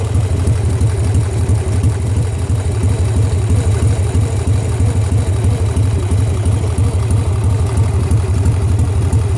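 Lumpy V-twin idle with a steady low thump around three per second; a knock may be in there, maybe a lifter, unconfirmed.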